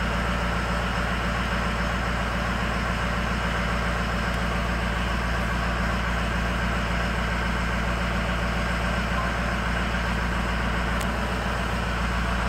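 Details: Engine at high idle with cylinder 8 shut off in a poor cylinder-balance test: a steady but lumpy, lopsided beat with one firing pulse missing. Misfire on cylinder 8, which is dead.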